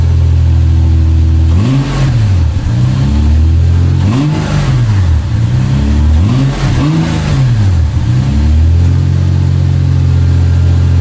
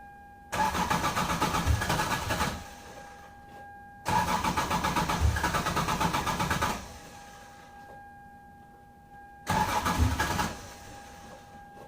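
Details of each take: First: 1996 Lexus SC300 manual, 2JZ-GE, after reconnecting a plug under the manifold and adding about three gallons of fresh gas: starts right up, steady even idle with clean throttle blips that rise and settle smoothly; healthy running. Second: 1996 Lexus SC300 2JZ-GE manual, cold start before fix: five roughly two-second bursts of starter cranking, engine never catching; long start and rough idle, fixed by reconnecting a plug under the intake manifold.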